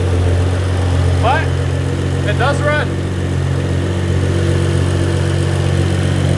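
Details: Cheap, badly worn BMW E92 335i with N55 turbo six, started after an intake, intercooler/radiator and coolant line install. A drivetrain malfunction warning shows; no coolant leaks and the water pump works. Steady, even low hum with no knocks: normal idle.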